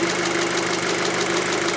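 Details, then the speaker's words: 2006 VW Passat 2.0T with P0190 and lack of power, traced to a broken fuel rail pressure sensor signal wire: a steady, even idle with no misses or surging, rail pressure right on at 50 bar. Normal idle. "right on the money 50 bar"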